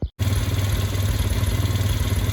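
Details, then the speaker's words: Chinese quad engine, sat at least 3 years, 2-stroke oil put in cylinder first, spark found: fires right up, settles into steady even idle with light clatter, no misses; normal idle. "Boom. Listen to this thing purr. Sitting for, I think, at least 3 years, he said."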